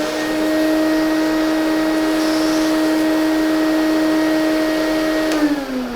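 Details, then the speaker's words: Lindhaus HF6 vacuum, older vintage with a rough used life: steady high whistle over the motor hum that fades as it spins down, air leaking at the handle swivel; newer direct connect handle fixes this. "the whistling sound that this makes drives me absolutely nuts."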